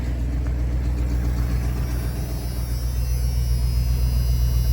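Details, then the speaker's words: 1991 Ford F250 revived after sitting, fuel now confirmed after tank issue: deep, steady rumble about four beats a second, no knocks or misses; normal idle about 850 rpm, good oil pressure, charging. "charging, idling about 850 RPM. Sounds good. That's a good start."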